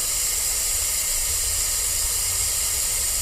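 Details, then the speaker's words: Cummins ISM fan clutch: steady high-pitched hiss with no rhythm as compressed air keeps escaping from the fan clutch relief port with the truck running on its own air pressure, after also leaking on shop air; air leak. "and here we are back over here with the other camera and uh as you can probably hear it's still leaking out of there"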